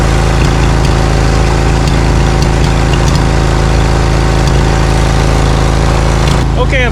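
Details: Briggs & Stratton Vanguard 20 HP V-Twin zero-turn mower, hot: loud, uneven thumping run at about two beats a second; heat-related misfire with one cylinder dead, losing power.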